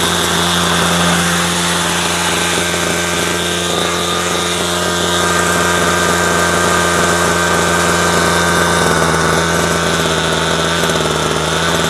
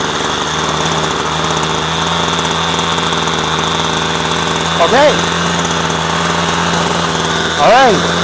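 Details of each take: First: Two-stroke string trimmer after low-speed mixture adjustment and turning the idle back down: a steady, even buzzing idle with constant pitch and no surging or stumbling. Fixed; it had earlier run only on half choke. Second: Two-stroke string trimmer after the low-speed mixture screw was backed out half a turn: a steady buzzy drone holds too fast at idle, running a little high, so the mixture is being turned down.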